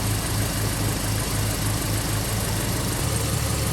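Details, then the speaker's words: 2013 Chevy Caprice PPV with LS-based L77 V8, idling after a displacement-on-demand delete: deep, uneven, lumpy idle with slight stumble instead of a smooth beat; it ran rough because the wrong cam timing reluctor gear was installed. "when i started the car there you could tell that it wasn't running right if you got a good ear"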